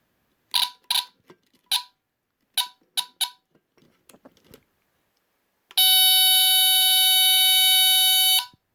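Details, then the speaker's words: Vintage mid-1970s Norelco Smokey HB-0933A smoke detector with Delta-Larm squealer horn, tested after reconnecting the battery: a few short chirps, then a loud continuous high shrill test tone of about three seconds, seemingly louder than before; alarm sounds normal. "It seemed a little bit louder that time for some reason."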